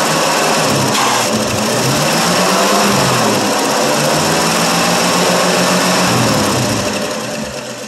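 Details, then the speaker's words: 1965 Ford Fairlane 500, 289 V8, three-speed column manual with overdrive, cold start after sitting three years, fuel fed from a bottle: catches and holds a loud, steady run with no knocks or misses; running healthy. "love it it runs like a champ"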